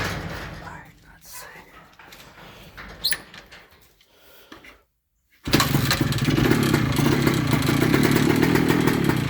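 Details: 1998 Kawasaki KE100 two-stroke on a cold start after days unused: busy metallic ticking rattle from the cylinder over the exhaust buzz; cause unknown to the owner.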